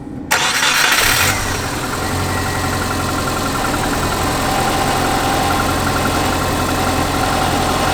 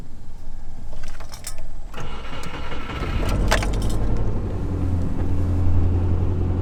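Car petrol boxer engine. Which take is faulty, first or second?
second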